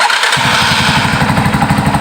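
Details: Yamaha Scorpio motorcycle carburettor tuning, cold start without choke: engine catches and settles into uneven, lumpy beat with irregular pops; rough running, likely needs choke, cause suspected not confirmed.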